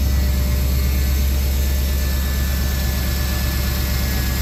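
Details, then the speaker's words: Firebird being prepped to come out of storage, idling low and steady with a faint light tick that is not clearly valvetrain or exhaust; owner suspects a sticky injector, maybe a pulley (possibly AC) or manifold leak; unconfirmed. "this thing is also got kind of a ticking noise now too it doesn't sound like a valve train noise but um definitely don't sound like an exhaus like either it kind of just sounds like a sticky injector"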